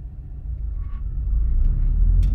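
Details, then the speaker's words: Subaru STI pulling away from a stop, with rising low engine and road rumble and no rear strut clunk after regreasing the rear suspension; normal. "nothing at all I I'm sure that grease hasn't even worked in all the areas yet and this thing's not clunking at all"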